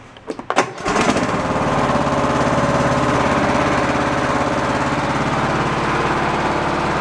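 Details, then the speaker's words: Cub Cadet lawn tractor, hydrostatic (likely Peerless) transmission suspected bad, test on lift: catches after a few cranks into steady, even chug, rear axles turning, no knocks or grinding; normal running. "I think we hop up on there and we fire it up and we see if those back axles uh start moving here we go it's pivoting on the front axle all right"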